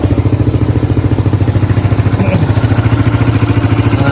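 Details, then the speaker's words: Suzuki Satria FU 150 single-cylinder, test start before repair, also has a leaking exhaust: even idle about three and a half beats a second with a light metallic rattle on each beat; cause unknown, engine to be dismantled. "Nah ini suaranya ngerecek di sini."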